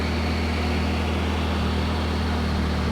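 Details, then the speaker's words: Honda EU3200i inverter generator carrying a 15K plus 13.5K (soft-start) RV air conditioner near max load, about 22.5 A; compressor kicks on and the engine hum holds steady speed without surging or bogging. Healthy. "And there it goes. So it just kicked off, and it looks like it's going to do it."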